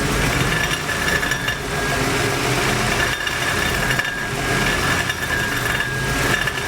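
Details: Ford F250 5.4 3-valve, on lift, idling with microphone underneath: tinny ringing rattle pulsing about once a second at low RPM, owner thought transmission.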